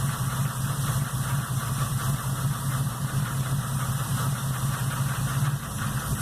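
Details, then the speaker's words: Chevrolet Opala engine, which started knocking after a severe overheating: steady low running with a dull, uneven knock about two to three per second. Piston slap is suspected and the engine will have to be removed and opened. "é começou a fazer barulho de motor depois de um aquecimento que teve ele é ter um aquecimento grande e depois disso começou bateu o motor fazer um barulho todo desconfiados"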